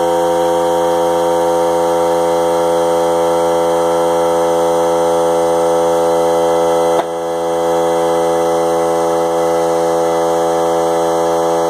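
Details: Harbor Freight Central Pneumatic 95275 3-gallon oilless compressor (100 psi max), bought non-working and repaired, running after on/off switch rewiring: steady loud buzzing drone, constant pitch, brief dip near the middle; normal running.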